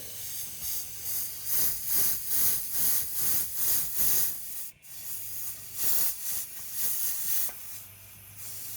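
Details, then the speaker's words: Toyota Supra, about 900 whp, under boost on a pull; loud steady air hiss surging about twice a second, heard down low; boost leak at a wastegate fitting not fully seated, to be replaced with original swivel fittings. "I can really hear it down there do it it's leaking off so bad it's not looking at I'm trying right now it is really bad down here"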